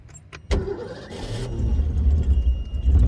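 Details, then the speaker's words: 351 Windsor inboard boat engine with its 12 V battery reading 11.91 V: brief crank catches almost at once into a low, steady V8 rumble; normal crank and start. "great so I stand corrected less than 12 volts will work"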